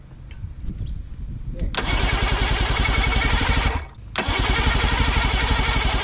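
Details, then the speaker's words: Boat motor on starter cranking in steady rhythmic bursts about four beats a second without running; has spark and compression, fires occasionally on starting spray, but no proper fuel tank hookup so mixture wrong. "it's got spark compression it fires once in a while off of the spray and stuff but it's not it's not the right mixture"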